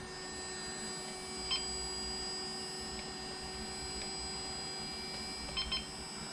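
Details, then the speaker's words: LOSI ProMoto MX RC motorcycle powered on with full battery, flywheel spinning up, gyros near full speed: short high chirps, one then a quick pair, over faint electrical hum; ready status beeps. "you can hear the Gyros almost at Full Tilt so we are green everything's ready to go"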